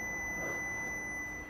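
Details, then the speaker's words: 2007 Mercedes W164 ML320 CDI, wipers running constantly with the switch off: steady high multimeter continuity beep while tracing the wiper wire down to the SEM. "So I think I've traced the wire down. You might be able to hear the beep coming from the multimeter."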